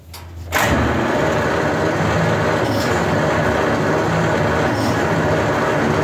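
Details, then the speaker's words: 1939 Buick Century on a rebuilt engine, key on, cranking on assembly lube with spark plugs in: steady but slow, even chugging, cranks and doesn't catch. "nice crank it over real slow but she's cranking over it's the first time this thing's cranked over in a year"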